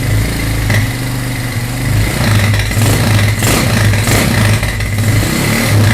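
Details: GL100 built with a 250cc engine and recorded in a small studio. A deep, even idle thump with a couple of smooth revs that pick up cleanly, and no knocks or misses; it is running healthy.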